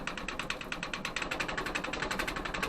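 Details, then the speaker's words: Indoor wood gasification boiler just lit: the draft blower starts and hums steadily, drawing air through the boiler and up the chimney, with a fast patter of door rattles during warm-up. Normal draft blower running. "so as it kicks on you're going to be able to hear that blowers start to turn and suck the air through the boiler and blow it up the chimney"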